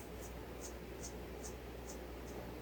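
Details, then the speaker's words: Jonsered 2149 chainsaw bottom-end rebuild: crank bearing removed from the engine and spun by hand gives faint dry scratching with a sharp tick about twice a second; it feels like it has up-and-down play. Rough, worn ball bearing. "I think I think this one's got a bad one in. I don't I think it's feels like the bearing's going up and down"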